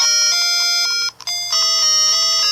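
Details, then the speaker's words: Nintendo Game Boy Color, previously repaired for a faulty speaker: the chiptune plays, then one sound channel cuts out with a click and the notes break up, most evident on the start music. Whether the speaker is related is unknown. "Stop there for a sec, it's like the one channel's not right, and if I just start this, it's more evident actually on the start music, I think. It's like some of the instruments are stopping."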